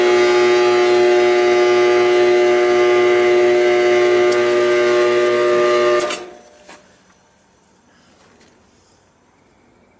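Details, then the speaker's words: Trane XL14i AC condensing unit with a loud, steady buzzing hum that cuts out abruptly; the fan motor has failed and won't run (capacitor tested good), and the unit trips on pressure. "so got a bad fan there not good she's going off on high pressure or low pressure whatever she tripping out but we had a problem with that fan capacity is good Capac is good and a bad fan"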